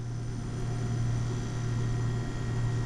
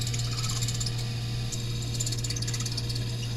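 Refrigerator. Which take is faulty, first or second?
second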